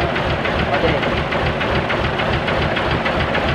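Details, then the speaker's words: Diesel dump truck that would not start, so the starter was suspected and removed, idling once running: a steady idle with even knocking pulses of about three per second and no misses. The real cause was a weak battery; normal idle. "Ah tapos na tayo umandar na ah Mahina lang ang baterya kaya ito'y hindi umandar"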